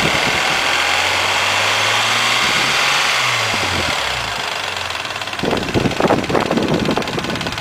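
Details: Mazda MX-3 engine warmed to normal operating temperature, idling: fast, uneven metallic clatter growing louder and busier toward the end; owner asks what the noise and problem are, source unclear.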